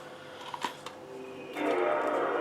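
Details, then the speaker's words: Modded (chipped) PS2 at start-up with a Japanese Sega Rally disc and magnet workaround: several sharp clacks from the laser lens, then a steady spinning whir; worn laser lens struggling to read the disc. "Déjà, on avait remarqué qu'en fait, au niveau de la lentille, elle faisait beaucoup de claques. Vous l'entendez là."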